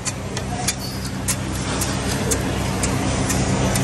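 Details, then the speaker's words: Honda SO4, squeak like a mouse from the rear, car jacked up: short sharp chirps about twice a second over a low hum, traced to cracked, loose rear trailing arm bushes; worn suspension bushing squeak. "Dah jet naik, kita tengok mana bahagian yang pecah tu. Kita tengok. Ha. Ni. Ha tu bunyi tu."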